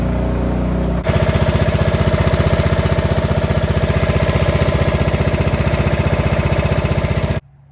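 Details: Cub Cadet 2146 lawn tractor, 14 hp single-cylinder Linamar engine, sitting 3 years; after choke repair: short crank, fires at once into steady even thump about four beats a second until shut off. Fuel leaks from rotten carb bowl.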